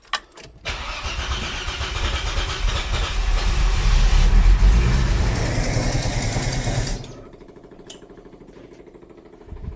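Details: 45-year-old 2.8-litre Vauxhall Royale coupe, just swapped back to newer Weber carburettor set to baseline, choke cable off: cranks, catches, runs roughly a few seconds then dies; hard starting, won't keep running. Cause suspected, not confirmed.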